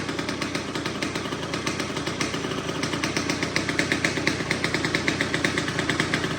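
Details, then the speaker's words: 2004 Kawasaki KX85 two-stroke after a top end rebuild; crackling, raspy blaps with quick revs and a slight hang before dropping back. Owner suspects the shorty pipe and needed muffler packing, or that these bikes just sound that way. Raspy exhaust note. "I also think the raspiness is because of the shorty pipe and needing muffler packing. And that's just how these things kind of sound, I think."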